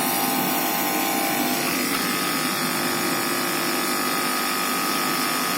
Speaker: इसका मतलब है ये एयर भी कर रहा है और शक भी, आवाज आपको आ रही है। इसका मतलब ये बिल्कुल ओके हो गया है।